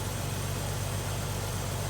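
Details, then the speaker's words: Warm carbureted Chevy S10, heard near the exhaust pipes after vacuum leak fix, running smoother and cooler, little gas smell; steady even low idle without hunting, hiss or stumble, normal idle. "She seems to be running smoother. She's running a lot cooler since I fixed that vacuum leak."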